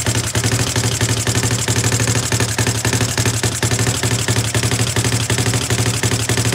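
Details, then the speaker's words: CFMoto 250cc 172MM GY6-type single after head rebuild and valve adjustment: idles fine but sputters on throttle, choppy uneven thumping about four beats a second; runs identically to before the rebuild, so owner rules out valves. "It idles fine. It starts up, it idles, and it idles beautifully. But then when you try to go give it gas, it just wants to like sputter and brum brum brum."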